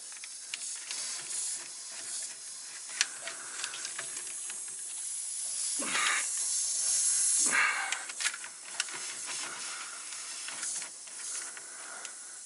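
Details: Air system, second leak found at a quick-disconnect fitting on the main line in the front bumper; steady sharp hiss of escaping air with no engine running: air leak at quick-disconnect fitting.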